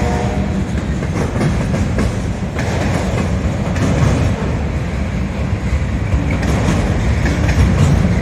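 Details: Southbound CSX freight at South Beech Street crossing, Oxford, OH, picking up speed past the last gate: heavy low rumble with quick irregular wheel clacking; onlookers wonder whether a bad spot in the track causes it, unconfirmed.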